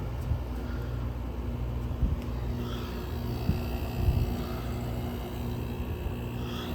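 Even low rumble with a steady hum and no knocks or rattles; the window unit is running normally after a cold start.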